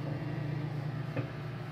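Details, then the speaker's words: Microwave on a modified sine wave inverter gives a loud, steady low buzzing hum, drawing a lot of power; timer runs long (3-minute cycle runs 3:19). Loud hum from microwave on modified sine power. "at humming it doesn't mic bet voltage very much it'll run on it but it's pulling a lot of power a lot of power to do this"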